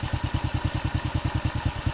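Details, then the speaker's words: Honda Supra X 100 (C-series, code QN5) after replacing the worn rear cam chain tensioner roller that caused a knock on the right side at certain rpm: quick, even single-cylinder beat, steady with no rattle; smooth idle, no longer rough. "ini sudah halus sudah saya bawa muter-muter tidak seperti kemarin kasar"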